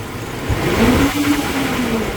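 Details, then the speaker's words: 1999 GMC Sierra on cold startup: uneven, stumbling idle with intermittent misfires flagged on cylinders 8 and 4, later all cylinders; intake manifold gasket leaking (later removed, cleaned, replaced). "It's saying that number 8 and number 4 have misfires, not constant misfires. Yeah, I feel the misfire."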